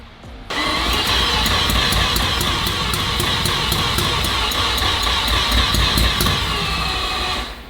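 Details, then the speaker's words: Mazda RX-7 FD four-rotor start attempt after reconnecting a ground wire: steady rapid cranking, barely fires, no run; coil packs work so ECU fires, suspected fuel pressure problem, possibly old premix oil gunking the fuel. "il packs work so that means the ECU is firing which means fuel issue problem we don't know if we have enough fuel pressure for sure so that's the next step but you did hear it fire up um barely anything"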